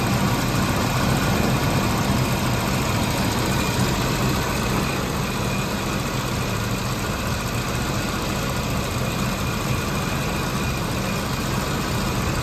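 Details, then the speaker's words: 1987 Jaguar XJ6 six cold-started at about 85°F ambient, heard outside the car: even, steady low burble at idle with no knocks, misses or rattles; fired up easily and runs smooth and healthy. "so now that we've got her running you saw how easily she fired up we're going to go back outside listen to a run and you can hear how much louder it is out here"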